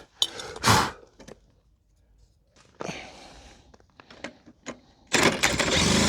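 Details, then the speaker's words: Old pedal-start moped; catches in short ragged pops, dies, then coughs into an uneven run that won't keep going; old spark plug weak, new plug sparks better; bad spark plug. "So, I just took out the spark plug to check if the reason why it doesn't run"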